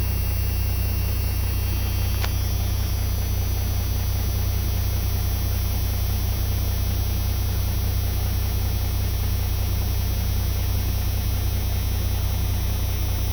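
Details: Turbocharged truck at a 400 RPM fast idle with its converted A/C-compressor air compressor, fed from the intake manifold, charging the air-bag tank; deep even hum, no knocks or misses. Normal.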